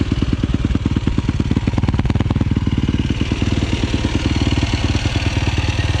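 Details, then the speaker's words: 2007 Yamaha YFZ450 SE quad after rebuild and new starter solenoid, carb jetted and running strong, started with the clutch pulled in: even, crisp single-cylinder thump at steady idle, clean firing with no knock or misfire; normal idle. "nothing else needs to be done to it i got it jetted perfectly it flies it absolutely streams"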